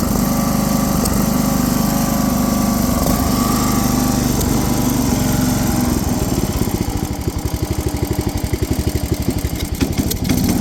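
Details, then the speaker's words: Tow-behind mower's Briggs & Stratton 17.5 single-cylinder engine after setting valve clearance to 0.015 inch: fairly steady running, much better than before, with an uneven popping pulse; still spitting back through the carburetor, owner suspects valves need tighter clearance. "it's still spitting out of the carburetor a little bit so maybe that 15 thousandths of an inch for the valves is not perfect"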